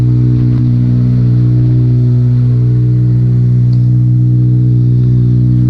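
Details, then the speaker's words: 2006 Acura RSX Type-S with a new cold air intake, cold start after battery disconnect: deep, loud, steady drone with no muffling, because the Skunk2 header is open with no exhaust connected, since the catalytic converter wouldn't fit. "My Skunk 2 exhaust is not functioning right now. My exhaust is over here by the side."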